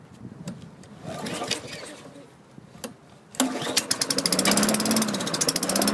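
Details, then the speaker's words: 2003 Craftsman 22" mulcher mower with a Tecumseh 4.5 HP engine: it catches after a few pulls and settles into an even but low, lazy putter; the RPM is too low. "RPM's got to go up. Let me adjust that."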